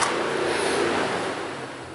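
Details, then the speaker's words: 2006 Mazda 6 with the 3.0L V6, key off while the PCM commands the fan off at 0 volts: steady fan whoosh keeps running after key-off, then slowly winds down; cooling fan run-on, a failed cooling fan control module suspected. "there it goes just delayed as all so like I say fortunately hasn't been killing her battery or anything but uh sounds like we better give Mazda a call get a new cooling fan module"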